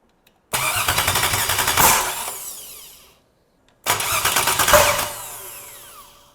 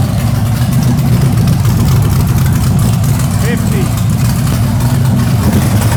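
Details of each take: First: Freshly built stock LS1 V8 with Summit heads and hardened pushrods, first fire-up attempts: fast cranking catches, runs ragged and uneven about a second each time, then dies; rough running, cause not confirmed. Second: Freshly built LS1 V8 with Summit heads on a later fire-up attempt: deep, steady V8 rumble with an even beat and no misses or knocks; runs right; about 464 average on the following pull.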